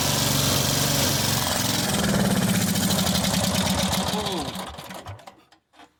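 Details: Mid-1990s Cub Cadet 1641 with Briggs Vanguard engine, sat three years, no crankcase oil, fuel line off at the carburetor: steady even cranking about four per second, never catches; no fuel coming through, then fuel flow began.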